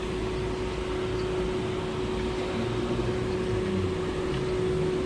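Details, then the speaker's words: Car engine idling after running about half an hour during a weekly mini engine check for overheating; smooth constant hum under steady cooling fan rush, faint even tone, no misses or surging; all engines fine, no problems found. "Semua enjin pun okey, tidak ada masalah."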